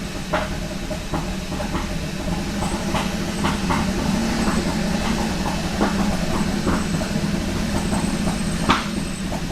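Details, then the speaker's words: Kia Ceed GT with a long-running cold-start misfire, after swapping coil and spark plug 4 with coil and plug 1: rough, uneven running with random stumbles and puffs, now misfiring on all cylinders with the engine light on and no throttle. "this is going to be very interesting well it's definitely misfiring again"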